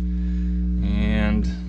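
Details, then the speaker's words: Philips automatic turntable, possibly a 406, partly disassembled: a constant low electrical hum with a steady buzz underneath, unchanged throughout. Suspected ground fault or crossed audio lines in the tonearm signal or earth leads. "let's turn this back on and we got our hum still right got our hum"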